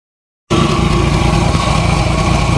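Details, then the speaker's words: 1990 Jeep YJ 4.2L 5-speed, brand-new fuel pump already leaking: uneven low idle with a lumpy, stumbling beat and raspy puffing on top; engine missing, with an exhaust leak; owner suspects plugs need replacing. "okay well I got it to sort of be iding it is missing out the exhaust leak"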